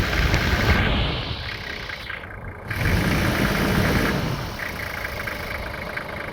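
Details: Toyota 1HZ diesel after fuel injection pump repair for hard starting: catches and settles into rough but steady idle clatter with usual injector rattle; starts and runs normally.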